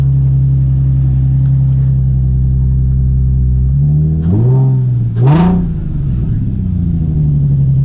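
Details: 2003 Nissan 350Z first start in over two years after replacing a failed ECU that caused crank-no-start: steady even idle with quick throttle blips settling cleanly; healthy, no issues after a heat cycle.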